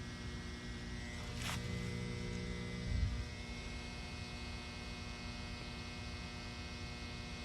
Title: Electric box in the woods making noise in my neighborhood In Grayslake Illinois